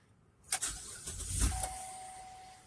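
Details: 2015 GMC Acadia 3.6 L, first start right after an oil and filter change: short crank, engine catches and settles into a quiet even idle with no knocks or ticks, oil pressure light goes off; running normally.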